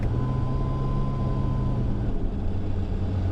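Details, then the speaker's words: 1000 hp single-turbo BMW E90 335 with DCT conversion, CanTCU controller, Haltech ECU, solid flywheel, cruising slowly in seventh gear: deep lugging drone with rough rattly chatter from the DCT, caused by the solid flywheel. "seven and you hear the chatter from the DCT again solid flywheel which you'll get that chatter you get that chatter with a solid flywheel unfortunately"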